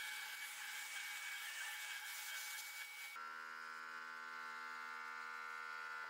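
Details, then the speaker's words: Steady high electrical buzz with even tonal lines under milling noise while drilling holes: this is the rotary phase converter running normally, not the milling machine. "And in case you're wondering, that higher pitched buzz in the background when I'm running this is the rotary phase converter. That's not the milling machine making that noise."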